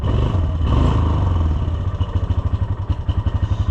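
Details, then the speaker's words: Yamaha Rhino side-by-side, hot engine, idling lumpy with an uneven thumping clatter about four per second; accelerates fine but won't idle properly and may die; cause not yet found. "Okay. There it's doing what what we're after it for. It doesn't idle worth a crap."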